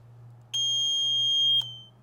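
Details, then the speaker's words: Vintage two-stroke motorcycle (1973 Yamaha RD250 or 1974 Kawasaki F7-175): single high, steady beep about a second long in a quiet room, a warning that the oil valve is switched off; turning the oil on stops it. "I found it switch on it's this valve all valve off for turn your oil on make the noise go away"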